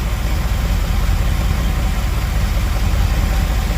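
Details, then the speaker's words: 1978 Dodge D200 big block 400 V8, 727 automatic, 100,000 miles, after firing order corrected: deep even idle with steady beat and no misses, running on all 8; weird little funky sound remains, tune needs work. "So I fixed it, got the firing order correct, and now look at this. Runs great. Still makes that weird little funky sound for some reason. Yeah, it's running on all 8."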